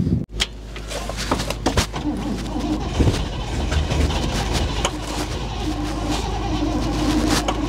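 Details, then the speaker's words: 1960 Chevrolet Impala V8, sat for decades, first run on its own after a flooded carburetor's floats seemed to seat: low rumble at idle swelling and fading in a slow uneven surge. Cause unknown; seems to be hitting on all eight. "I don't know why it's pulsing like that I'm not 100 sure why it's doing that"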